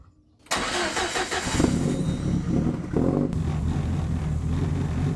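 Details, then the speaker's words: Car with side-exit boom tube exhaust and a new silencer: engine cranks, catches and is blipped a few times, leaving a loud, deep booming idle; still too loud. "Still quite loud. What do you reckon?"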